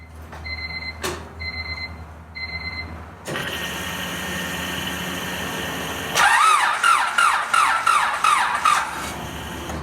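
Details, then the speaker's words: Car with cranking-related fuel-pump cutout, pump rewired to a 12 V switched source that stays on while cranking; chime beeps then an even starter chug about three per second with no catch, distributor and injectors disconnected; fuel pressure held this time. "So I'm about to put my phone here, record the gauge, and see if it actually stays up in pressure when I crank it without the distributor connected and the injector, so it's not getting spark or fuel."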